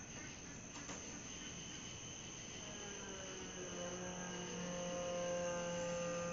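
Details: Newly installed Holley/Summit Blue electric fuel pump with regulator on an AMC V8 Gremlin, first run: quiet rapid ticking about three per second, then a steady rising hum as fuel moves. Running normally, though fuel pressure is slightly too high and needs regulator adjustment.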